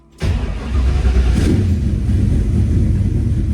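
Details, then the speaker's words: 1968 Mustang V8 first start after installing front coilovers and power rack and pinion, battery seemingly weak: quick catch on the starter, then a deep even rumble that revs up and settles cleanly with no knocks or misses; healthy. "Sounds awesome as always."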